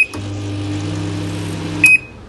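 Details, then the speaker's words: Microwave oven fitted with YM900M0 universal PCB, magnetron line newly wired, start pressed: beep, steady low magnetron hum about two seconds, cut cleanly by another beep; working properly. "මම start දෙන්නවා. දැන් microwave එක on වුණා."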